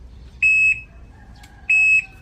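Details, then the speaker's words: Newly delivered D2 electric bike (HJ Moto) in reverse: shrill beep about a third of a second long repeating about every 1.3 seconds; normal reverse warning meant to alert people behind. "Di ba pwede yung bawasan yung ingay niya? Pang atras talaga yan, eh. Ganun talaga ang tunog para malalaman yun sa likod."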